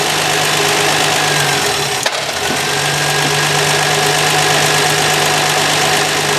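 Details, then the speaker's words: Canadian 1966 Valiant six-cylinder (Dodge Dart twin), low mileage, sat over 20 years and unstarted for 10, carb mixture enriched, idling with an uneven stumble about three times a second: misfire, running on five of six from a disconnected spark plug wire. "well this is rather embarrassing i had a spark plug wire off it was only running on a on five out of six now it's running on six"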